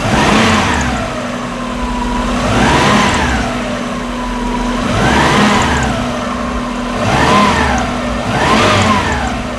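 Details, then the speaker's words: Subaru EJ20-swapped VW Vanagon engine blipped about four times, idle about 800 rpm per gauge and slow to return; faint high chirps on each rev as the loose accessory belt is seen moving, to be tightened. "The belt's loose. I can see it moving and I can hear it chirping."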